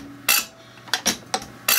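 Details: Zexel (Bosch) mechanical injector from a Kobelco SK160 backhoe dormant seventeen years, rebuilt and on the pop tester: four sharp, high, buzzing chatter bursts with each pump stroke, good atomization; normal injector chatter, opening pressure about 210.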